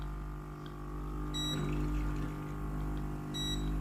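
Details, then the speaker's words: Philips GC7051 steam iron opened, clean key pressed to test pump through the hose to the soleplate: steady low electric pump buzz with two short beeps and no gurgle of water; pump runs but the water hose is 100% clogged, replaced afterward. "ปั๊มน้ำนะครับผมแต่น้ำไม่สามารถผ่านในส่วนของตัวสายท่อน้ำได้เลยนะครับสายท่อน้ำตัน100%นะครับ"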